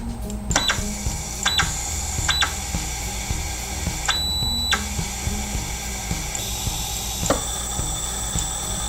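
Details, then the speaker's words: X-axis stepper motor under manual control: steady electric whine with pitch jumps and irregular clunks, motor not turning; stepper stalling, voltage later tested and ruled out. "But it's making some weird noises, and it's not turning."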